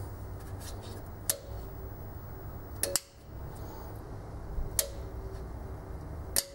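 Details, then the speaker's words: Aussie Vac AV1400 ducted vacuum, about 10–12 years old, not turning on: circuit board relays click about every 1.5 seconds but motor never spins up; tapping motor with mallet makes it try to start, typical of worn carbon brushes, later replaced. "normally a good way to test if the brushes have failed is to lightly tap the top of the motor with a rubber mallet as you can see the motor has tried to turn on this is generally typical of the brush it's failing"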